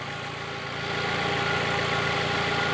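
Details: Fiat Palio after a new ignition coil was fitted to cure the cylinder 3 misfire: a steady, even idle hum with no missed beats or stumbles, and the oscilloscope confirms every cylinder is firing, so the engine runs normally.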